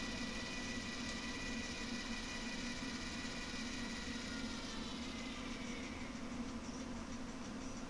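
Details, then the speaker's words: Bathroom vent fan with an added actuator-driven positive-close damper, started from the wall fan controller; a steady, even fan rush with a low hum and faint high tones, barely audible and running normally. "and then the final test was firing it from the fan controller on the wall and it passed its test very well you can barely hear it"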